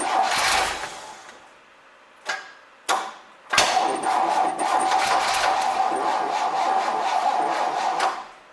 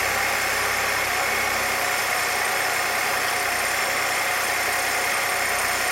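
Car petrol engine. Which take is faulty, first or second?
first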